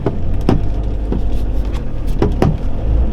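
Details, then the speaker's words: 1979 VW Rabbit 1.5 diesel driving around the block: irregular dull thumps over the diesel clatter and road rumble whenever the steering wheel is touched or turned or a bump is hit. "yeah, as you guys can probably hear, pretty much anytime I touch the steering wheel or turn or hit a bump, we'll get kind of that noise."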